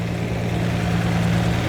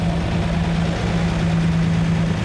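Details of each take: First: Lamborghini V12 with 12 carburetted cylinders, just balanced but before mixture screw adjustment: deep, steady low idle with an even drone. Rich mixture, estimated about 6–7:1 instead of 14:1, smelled rich; the screws are then adjusted by ear. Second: Lamborghini Miura V12 after setting mixture on the front row of carburettors: even, steady low idle with constant hum, no misses, hunting or knocks, smooth enough to balance a coin on the engine; healthy idle.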